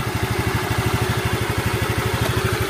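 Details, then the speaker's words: Honda Vario 125 after CVT rollers replaced with lighter 15 g KWN rollers, which cured the rattle on throttle release: steady, even idle around ten beats a second with no rattle or clatter, smooth and ready to ride. "Oke sudah Sip sudah halus dan siap dikendarai"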